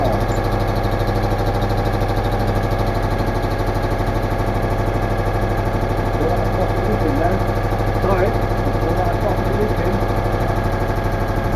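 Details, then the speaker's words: Citroën Méhari air-cooled twin idling to warm up and cure sealant after exhaust leak fixed with new gaskets, fan off in very cold garage; even steady beat, no exhaust puffing or ticking; healthy idle. "we just need to let the engine run at idle for a while"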